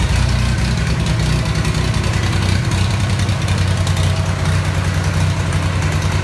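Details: Ford 3000 gas tractor: lumpy, uneven low idle with stumbling, missing beats; rough running, cause not found, with spark plugs, fuel additives or the carburetor being considered.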